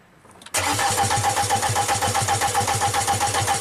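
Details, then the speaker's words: 2005 VW Passat TDI diesel, crank no-start after head swap: steady even cranking about four beats a second with a faint whistle, never catches; supply good but fuel pressure low, high pressure pump suspected of sucking in air. "The supply is good. We saw the fuel pressure is low. You crank it, the air bubbles come in here, so it must be sucking in some air through some s"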